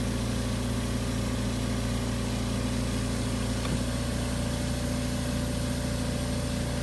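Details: Steady compressor motor hum with a brief pressure-switch click midway and no popping, after AMC 20 cutout pressure switch adjustment and 15-cycle syringe test; cycling normally.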